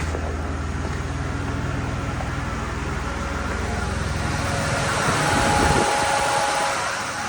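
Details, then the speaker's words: 2001 Chevy Impala 3.8, driven to full operating temperature but gauge reads cold (16°); steady fan roar over idle never cycling off, car believed in limp mode; failed coolant temperature sensor forcing fans on constantly. "can hear the fans are running so this is also afterwards with it 16° I I believe the car is going in like a limp mode basically to protect itself cuz it has no idea what temperature it is running"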